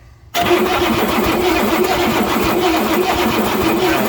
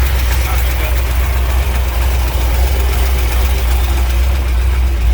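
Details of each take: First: 1967 Ford F100 with 429 big-block V8, spark tester fitted, no spark seen: starter spins the engine at an even churning rhythm but it never fires; cranks but will not start. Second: 1967 Ford F100 shortbed 429 big-block V8 revived with a used junk carburetor: deep, steady low rumble holding an even idle with no misses or knocks, idling cleanly right off the bat.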